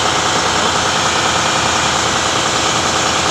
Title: turbo failures due to damage nozzle ring...